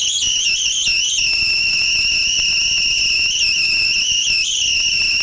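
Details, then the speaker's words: Homemade high-voltage power supply arcing from a sharp carbon positive electrode to an aluminum disc negative, cooling fans running; loud piercing steady high-pitched whine with slight wavers; normal high-voltage arcing. "the sound is very annoying from the spark really high pitch and very loud"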